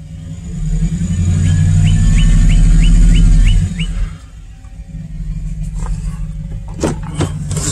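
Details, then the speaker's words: Chevy truck with failed ignition coil on cylinder one: deep, uneven idle with a stumbling lope that keeps breaking rhythm, misfiring and running rough; bad coil pack. "so this is what your car sounds like with a bad coil pack it's messing and it's running [Music] rough here"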